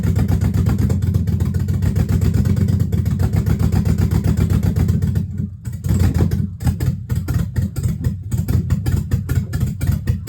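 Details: Dodge Magnum with a rebuilt/swapped Hemi V8, cold, exhaust not yet connected, only O2 sensor codes left: deep idle with an uneven, loping pulse and dips after revs drop; runs rough, owner suspects the disconnected exhaust, unconfirmed.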